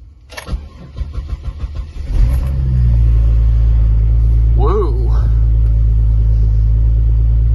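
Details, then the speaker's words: Buick Park Avenue Series 2 with a 3800 V6, cold start: a very slow, labouring crank, then it catches into an uneven, lumpy idle with a heavy low rumble; it is rough and needs to warm up. "a very rough start the 3800 make that noise before we're gonna have to run and warm up oh boy that's not one happy sounding 3800 D6"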